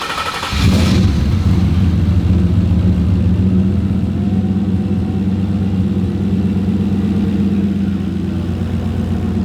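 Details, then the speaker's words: Ford Coyote V8 swapped into a Fox-body: fires within a second and settles into a steady, lumpy idle with no knocking or misfire; running properly. "So as you guys can see, it's running now. Thank goodness."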